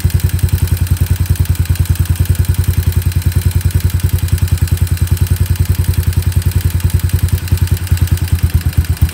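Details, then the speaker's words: Warmed-up Yamaha SR250 single, Jadus air/fuel screw set about 3.5 turns out and idle speed readjusted; pilot jet roughly correct. Even, steady thump at idle with a regular beat, no stumble or hunting; normal idle. "that's pretty good so just a quick recap I've set this if you'll screw now so that either way that I screw it I can adjust the idle of the engine which means that my pilot jet is roughly the correct size"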